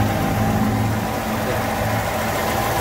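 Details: Mercedes-Benz M112 engine after full overhaul and new original fuel pump, float sender and filter, fixing long cranking: quiet, even idle hum with no ticking, knocking or stumbles; engine runs smooth and healthy.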